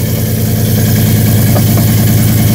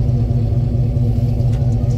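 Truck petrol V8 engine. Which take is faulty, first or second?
first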